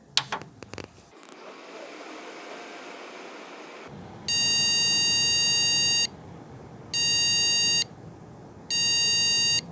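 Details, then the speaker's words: PC with graphics card removed: switch-on clicks and fan hiss, then after a long delay one long and two short beeps repeating continuously; no graphics card detected. "이번에는 전원이 들어가고 한참 있다가 비품이 나기 시작하는데, 비품이 길게 한 번 그리고 짧게 2번 나네요. 예, 그리고 똑같은 패턴의 비품이 계속 반복되고 있어요."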